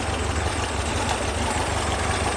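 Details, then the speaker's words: 1978 VW Super Beetle 1776cc air-cooled engine after tune-up and alternator swap: steady, even idle with a soft low thrum and no knocks or ticks. Charging at about 14.1 V, running normally. "So generator is generating, alternator's alternating. Running damn good."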